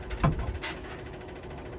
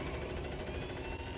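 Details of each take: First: 1969 International Scout 800 heater blower motor, which began making a terrible noise on a drive, tested before oiling: a shrill, steady whining buzz from the dry bearing; noisy blower motor bearing. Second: 1969 International Scout 800 heater blower motor, which had started making a terrible noise, now runs after penetrating oil on its bearing: steady, even hum with a soft low rumble, no squeal or scraping, quiet as a mouse.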